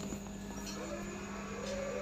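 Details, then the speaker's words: Lakoni 900 W welding machine, repaired after it powered on but would not weld, with spare parts replaced and body shock gone: soft steady low hum with a faint higher whine, no crackle or buzz; it runs normally. "Ini udah hidup normal ya, tidak ada masalah, kondisinya seperti yang semula ya, mau nyala."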